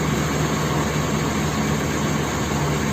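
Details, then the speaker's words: Nissan KA24DE engine after rebuild, start with fuel injection and distributor connected: smooth even idle with steady low hum, no knocks or ticks; engine sounds good. "well the truth is the start and it turned on it sounds good"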